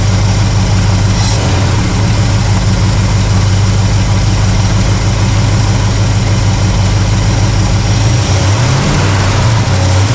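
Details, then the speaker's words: Warm carbureted V8 (1968 Pontiac LeMans) as idle mixture screws are set back in a quarter turn: deep, steady idle with an even lope, speed shifting slightly near the end. Idles fine; vacuum slightly low but in the green. "I think that's about as good as I'm going to do."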